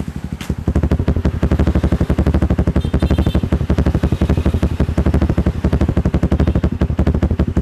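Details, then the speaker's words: Motorcycle with Juken 5 ECU, idle ignition timing remapped for a rumble idle: a single-cylinder engine idles with a deep, loping beat that stumbles and surges up and down; revving higher runs normally. "Tapi ini suara mesinnya pincang, bro. Suara mesinnya tuh naik turun ya. Naik turun."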